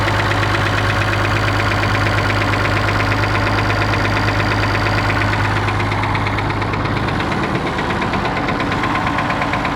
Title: Perkins T6.354 M engine knock